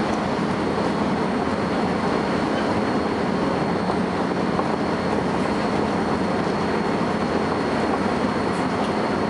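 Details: First Manchester Volvo B10BLE bus 60403 (S670SVU), recorded 30 May 2011: thin, steady high-pitched whistle above the running rumble, never changing pitch; source of the whine unknown.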